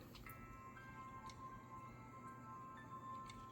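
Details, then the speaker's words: PS Vita Slim 2000 after replacing dry-rotted speakers: startup chime plays as clear, steady tones with no crackle or buzz; repaired speakers working normally. "And you can already hear it's much better. No crackling."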